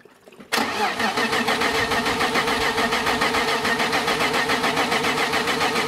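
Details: BMW E30 with M52 turbo engine on Megasquirt, first start after head assembly and cam timing, with a weak battery and fuel pressure being raised: steady rapid starter churn, about three or four beats a second, that never catches. Cause unconfirmed.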